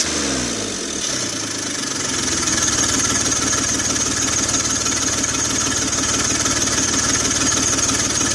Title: 2004 BMW X3 3.0L M54 hood view Exhaust Leak Noise!